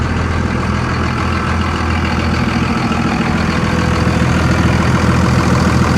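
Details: 57K-mile Dodge Ram 3500 at a salvage auction, drive shaft missing, exhaust-side recording of a deep steady idle with an even low pulse about three per second, no knocks or misses.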